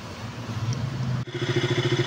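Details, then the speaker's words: KTM RC 200 single-cylinder after top overhaul with aftermarket valves, loud ticking fixed by resetting valve clearance (two shims replaced): even, steady idle with only light normal valve tick; normal idle. "So after na na-b clearance o na po yung andar ng motor. So so far nagnormal na siya. Hindi na siya katulad kanina na parang ang lakas-lakas ng lagitik. Normal naitik na lang to."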